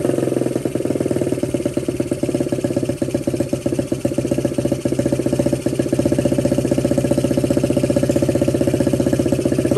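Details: 1979 Honda Z50 fitted with a loose SL70-type exhaust: the small single keeps a steady quick putter with an even beat, picking up slightly, and runs cleanly with no misses or knocks.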